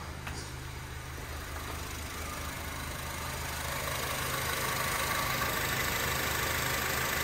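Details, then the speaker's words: 2007 Honda Civic (8th gen) with AC compressor stuck on, switch connector unplugged: quiet even idle, low steady hum, compressor now disengaged; faulty climate control unit to be replaced. "Yeah, it's off."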